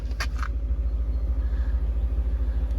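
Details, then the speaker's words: Fully restored BMW E39 M5 V8 with new intake, idling while still warming up: deep even idle with smooth regular pulse, no knocks or misses; running perfect, normal idle. "running perfect there we go"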